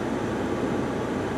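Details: 2009 Pontiac G8 with 200,000 miles driving with windows up and AC on: steady, even road rumble, no growl or hum building with speed; front hub bearing quiet and healthy.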